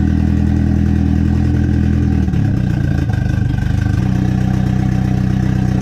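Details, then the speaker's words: Built KA-T turbo engine in a 240 with a new Pulsar PSR 3582 turbo, after nearly two years sitting, during fuel tuning: it revs and settles in steps, and the uneven idle clears a little with each change. "so for a little backstory right here what I'm doing is doing a little bit of fuel tuning trying to get it's a clear up so just lay out and listen you can hear it clear a little more each time"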